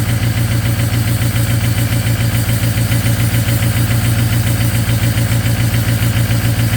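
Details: Ford 6.0 Powerstroke diesel at -2°F cold high idle after a cold start: lumpy, uneven, steady stumble about three times a second, missing on partially gelled fuel; anti-gel additive and a tank top-up cleared it.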